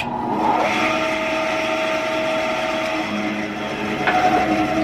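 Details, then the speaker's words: 10" Craftsman band saw after its broken drive belt was replaced and the blade re-tensioned: a steady even hum and blade whir with no knocking or rubbing, running just as it did before the belt broke. "okay well that sounds just like it used to before the belt broke so i think we're going to call that a success"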